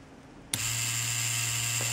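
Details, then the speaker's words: Cheyenne Thunder tattoo machine at maximum stroke on repairer's test cable at 9 V, bypassing original adapter: sharp switch-on then steady even hum with fine high whine, no stutter; runs much livelier than on original cables at 10 V. "9 вольтах машина работает намного шустрее чем с оригинальными кабелями на 10 вольт"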